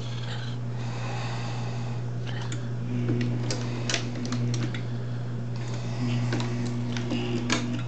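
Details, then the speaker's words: MEC AutoMate run on reduced supply voltage through a variac: steady low hum with slow, sluggish strokes; the motor labours, is slow to start and runs slower, but still completes its strokes and works. "so here it is uh working it is definitely laboring it is going pretty slow or it's definitely slow to start"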